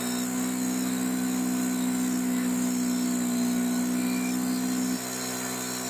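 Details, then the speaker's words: STIHL BR600 leaf blower after carburetor and fuel line replacement, carburetor adjusted, primer ball still faulty: steady high drone holding even pitch, dropping cleanly when throttled back; running smoothly, normal. "I'm going to put a new one in it, but she's on and running. Carburetor's adjusted. Sounds good."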